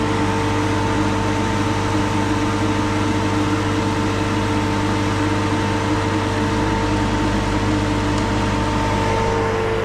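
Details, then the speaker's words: Goodman heat pump compressor replacement: refrigerant recovery machine running off a 2000 W power station at about 600 W output; steady even motor hum, constant fan rush and steady tones, no knocks or surging; normal running. "Make sure everything's turned on. Sounds like it's blowing."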